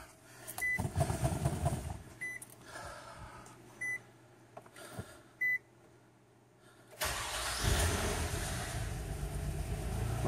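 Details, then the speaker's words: 2003 Nissan Altima VQ35DE V6 starting after a timing chain tensioner failure repair and a static timing check: chimes, then a quick fire into a smooth, even run with no ticking; alternator unhooked so its light is on. "hey no ticking no nothing your uh alternator light is on because the alternator is not hooked up but it running it's purring like a kitten listen to that just the way God intended isn't that beautiful"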